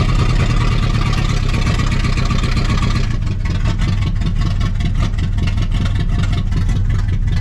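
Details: 1960 Pontiac Ventura hardtop, base 2-barrel 389 V8 with automatic, first start after 24 years parked, cold with snow, in gear: deep, low idle thumping evenly, steadying with no stumble; cleaning up, running on all cylinders.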